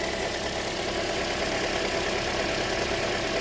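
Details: 2007 Toyota after a crank, no-start fix: steady, even petrol idle with a smooth hum and no knocks, misses or stumbles. Normal idle.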